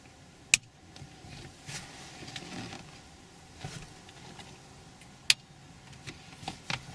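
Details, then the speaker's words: Ford Crown Victoria P71 dash-cam relay wiring, switch flipped: near silence broken by a couple of crisp single clicks as the relay pulls in; relay clicking normally, wiring correct. "Alright, so if it's all correct, when I flip the switch, we'll hear the relay click."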